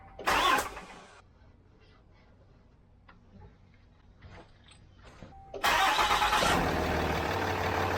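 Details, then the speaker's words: 4th gen Ram 2500 6.7 Cummins diesel, first start after coolant flush with distilled water and Sinister Diesel coolant bypass filter kit install, battery reconnected. Few quiet seconds, cranks and catches quickly, settles to steady even idle with no knocks; running good. "It's running good."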